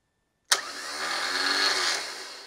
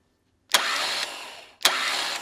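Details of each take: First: Car starter test, clamp meter on the solenoid feed wire: sharp solenoid clack, then a steady high whir that holds evenly and fades; starter spins freely, solenoid current peaking about 8.9 amps. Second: Starter motor cranking on a control box with an added hard start relay; the ignition switch is deliberately half-pressed to mimic a worn contact, giving two short bursts with sharp clicks and faint relay buzz as the relay chatters internally.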